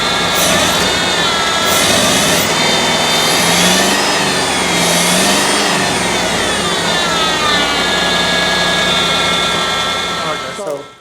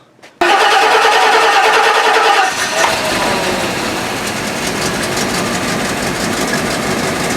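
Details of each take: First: 1984 Rolls-Royce Corniche after a head gasket replacement, where the two rear cylinders had been dead: it starts a bit rough, then balances into a steady, nearly smooth idle with a faint occasional stumble. The owner attributes the hesitation to injectors that are still clogged. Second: 1984 Rolls-Royce Corniche after head gasket replacement, injectors cleaned with spray and compressed air: starter whir, engine fires and runs uneven and lumpy, then smooths to a steady idle; rough running at startup, owner suspects one or two injectors still clogged.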